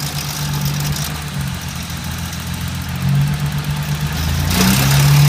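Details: BMW E30 with an S52 six-cylinder at idle: low, uneven drone with a loose knocking at about two beats a second; abnormal engine noise, source unclear.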